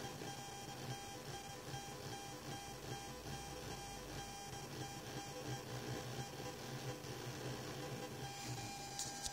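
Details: Genelec 8020B active speakers fed via XLR-to-RCA mono adapter and 3.5 mm jack from an Asus Xonar DG sound card: constant low hum, buzz, high whine and blips, also noise when moving the mouse; ground loop, fixed with Genelec-recommended cable.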